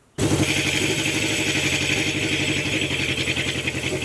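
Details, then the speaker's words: Honda CB750 four-cylinder idling during carb synchronization with mercury vacuum sticks, number one cylinder's idle being closed off: fast, busy idle with an uneven popping beat over the exhaust, and the points have not been replaced yet. Misfire popping at idle. "now here that popping that's going on uh did not replace the points"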